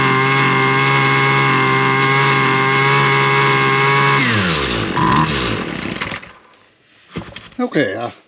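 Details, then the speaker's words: Husqvarna 128LD trimmer that previously only ran with the choke on: after drying off a part and priming, a high, buzzy two-stroke note holds steady for several seconds with the choke fully off, then winds down. It now runs fine. "I think that did it. I had to take the choke back off of that to get her to fire up, but she's running fully choke off, so we're making progress there."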